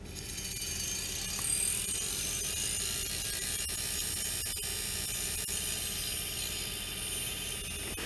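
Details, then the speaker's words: Dead IBM hard drive, opened, powered from a PS2 supply: spins up to a high whine, then grinding and scattered clicks as the head steps a fixed amount toward the centre each retry. Drive fails to come ready and gives up. "there it is can hear the grinding noise and then it gives up and it stops in there"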